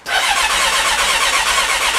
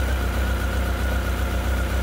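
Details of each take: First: Rebuilt Honda CB1300, first start attempt with battery charged, clutch in and kill switch on: starter spins evenly for about five seconds with no firing. Electrics work and fuel smell present; owner fears fuel pump and may check spark. No start. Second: Honda CB1300 after full rebuild, first cold start: deep, even burble holding a steady idle with no misses or stumbles and only very slight tappet noise; normal idle.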